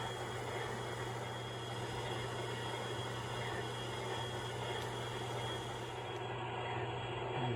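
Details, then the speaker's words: MTH Propane Turbine locomotive (Proto 2.0, 2001) after the noisy rear smoke motor was replaced and the front smoke unit restored, running on track with smoke on. An even, quiet hum with no grinding or rattle: normal smoke unit operation. "turn the Smoke on the sound it's not like it was before and uh I'm pretty pleased with it"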